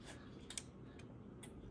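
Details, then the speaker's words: Drake T4XB transmitter on the bench after a resistor fire and found solder shorts, some tubes missing: sharp, crisp relay clicks about every half second when tuning; a sign it is working. "And I even have some relays clicking here. So that's a good sign."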